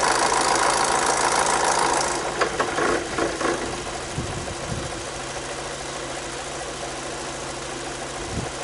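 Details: 2006 VW Passat B6 2.0 FSI 150 hp non-turbo, 250,000 km, just after overdue oil, filter and air filter change (old oil broken down, filter clogged); light regular ticking at idle around 3.5 per second, possibly valvetrain from poor lubrication.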